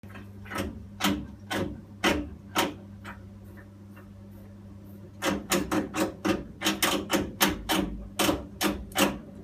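Sharp taps in bursts, roughly two a second, with a pause midway over a low steady hum; boiler ticking, cause unknown.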